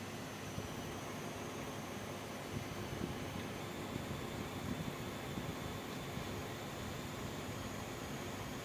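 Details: EVGA GTX 780 Ti ACX graphics card, brand new, under gaming load: steady fan rush with a thin high-pitched whine riding over it, graphics card coil whine.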